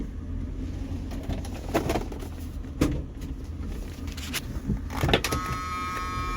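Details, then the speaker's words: 1978 Mercury Marquis Brougham 400 with new fuel pump, rolling slowly: irregular loud clunks and bangs from the trunk or rear quarter panel over road rumble; source unknown, possibly something dragging; rattle while driving. "so you guys hear that noise something making a hell of a racket in the trunk hell I don't know I can't figure out what that"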